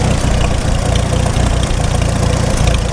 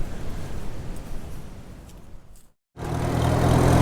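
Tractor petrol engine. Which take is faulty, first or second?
first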